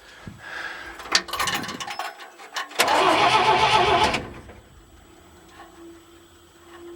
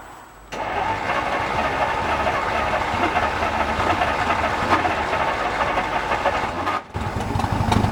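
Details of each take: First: 1950 Dodge after a $5 starter repair, with bad wiring and leaky hoses and seals, deliberately not started: a strong, even burst of cranking with steady rhythm, no grinding or clicking. Normal cranking. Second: 1950 Dodge, first start in 40 years, timing bumped a couple of degrees, weak battery, engine full of old oil: slow, uneven cranking catches into a rough run for several seconds, then cuts out, not spinning fast enough to keep running. Catches then dies.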